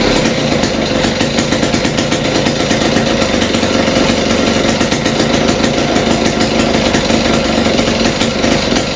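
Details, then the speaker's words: West Bend 580 two-stroke engine after cleaning the carburetor and reed valves and fitting new gaskets, run with no choke and the mix screw 2 turns out. A loud, fast, even patter holds a steady idle with no surging, a normal idle. "Alright guys, finally this engine is running again and idling. So I guess cleaning the carb and the reed valves did the trick."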